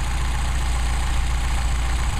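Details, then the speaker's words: Mercedes 190SL with Solex carburettors, started from cold, idling after a throttle linkage adjustment with the secondary barrels closed. Steady, even low idle with a smooth rumble and no misses, pops or knocks. "no air flowing through the second barrels they're supposed to be closed at idle running eight running eight these are very very very and i repeat very nice carburetors"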